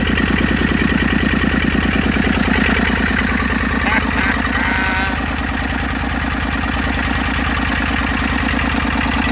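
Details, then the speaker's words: Massey Ferguson 35 three-cylinder diesel, seized with water for over 20 years in the woods, first run with no coolant and fuel leaks, burning off oil: steady even clatter about three beats a second, no misses; normal diesel idle. "motor sounds good I don't have any water in so I got to shut it off here"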